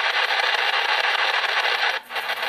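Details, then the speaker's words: Wine refrigerator RFI heard on the AM broadcast band on a nearby radio: loud rough pulsing buzz with brief dropouts; noise lessens higher up into shortwave. "one of the more egregious examples of noise in my house is this wine [Applause] refrigerator"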